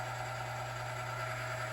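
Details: Lubricity test machine running BestLine Racing Diamond Nano-lube: initial noise faded after a flat spot formed, lubricant working as weights go to about three to four pounds; steady even low hum, no scraping or squeal; normal quiet running.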